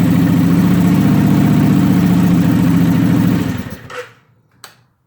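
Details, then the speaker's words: Suzuki motorcycle after stator cover repair, shorted rectifier disconnected, cold start with choke and revs raised: steady even firing at raised choke idle about three seconds, then clean shutdown; fires up easily, normal cold-start idle. "What do you think of that, guys? She fires up pretty easily."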